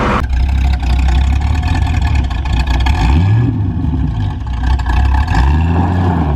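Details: 1973 Ford Mustang V8 after fitting single-wire distributor, new plug wires, spark plugs and carburetor; deep even rumble rising and falling smoothly with throttle, no misses, knocks or stumbles; normal running.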